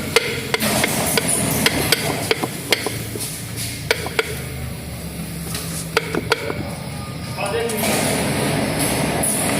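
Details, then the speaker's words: Fiat Palio/Siena front suspension: sharp, irregular clunks from a worn, broken strut bump stop knocking at the top of the shock absorber, a common fault on these cars; fix is replacing the bump stop. "é muito comum nesse carro batedor dele tratar estragar e ficar batendo a parte de cima essa parte de quatro aqui ó"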